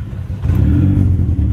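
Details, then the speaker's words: Honda Civic (EK) after a new timing belt and tensioner. Deep, even note rises smoothly when revved, with no knocks or ticks; the engine sounds solid and undamaged. Little smoke. Idle trouble is blamed separately on a bad IAC. "Yep. It sounds solid. It doesn't sound like you fucked the engine up."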